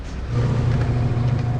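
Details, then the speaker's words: Whirlpool LSP1080GP automatic washer after repair: drum spins with a smooth, even low hum and no grinding. Before the repair it was very loud in dryer/spin mode, like a helicopter. Washing sound is now normal. "Ay washing. Yan normal sound effect na."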